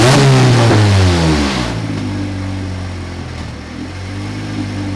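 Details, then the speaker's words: 1988 Honda CRX Si after a B18C Type R engine and transmission swap, first start with the exhaust not hooked up: rough, uneven revving dropping to a lumpy, stumbling idle, knock-like; turned out to be a misfire, code 16 injector fault. "You probably heard that misfire that was going on. It really sounded like a knocking situation. It was exaggerated because the exhaust isn't hooked up, but it ended up being a misfire."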